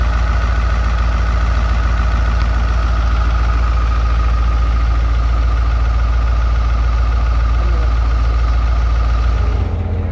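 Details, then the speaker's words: Dump truck diesel engine idling after not running for over three and a half years: steady, even idle with a regular low thump of about three and a half beats a second and no knocks; sounds healthy. "beast is running i am excited you know i'm kind of filthy i don't know if you can see me i look like a mechanic but it's running it sounds good"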